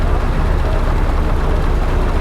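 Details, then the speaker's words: Hotchkiss (Willys) army jeep being tuned: after idle adjustment and a brief rev to clear it, smooth, even low rumble with steady beat, no misses or knocks; normal idle, though unburnt petrol still smelt at the exhaust. "Okay, that's running at more acceptable level. We just need to rev it a little bit just to clear things out, and then we're just listening."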